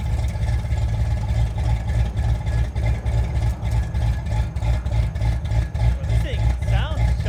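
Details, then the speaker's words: Fox body Ford Mustang V8 first start after battery swap: loud lumpy idle with uneven chugging pulses about three a second, slightly ticky, sounds cammed but likely a horrendous misfire; smoking, smells extremely rich. "It may be a little ticky. Get the exhaust down. It may just be a horrendous misfire. But it sounds like it has a cam. But I think it's just a misfire."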